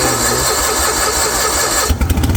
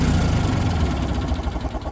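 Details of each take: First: Old Kohler pancake twin on a three-wheeled street sweeper, unused over 20 years, after fuel system revival, new electronic fuel pump, battery and points ignition work: loud hiss, cranking, catches into uneven low putter settling toward idle; engine runs. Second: Old Kohler twin-cylinder pancake engine on a 3-wheeled street sweeper, unused over 20 years: rough, uneven low chug that fires on prime and fades within seconds; engine starving for fuel and dying, later fixed with new parts including electronic fuel pump.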